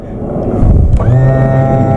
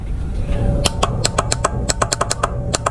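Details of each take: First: Boat outboard tilt/trim motor tested with the blue cable disconnected from the relay and battery power applied directly to the red wire: quiet hum, then a steady, even electric whine; motor works in the up direction. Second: Boat trim system: rapid, sharp clicks about six a second with no motor hum when switched from the helm or the side switch. The trim motor itself runs when powered directly, so the failed trim relay is chattering and needs replacing.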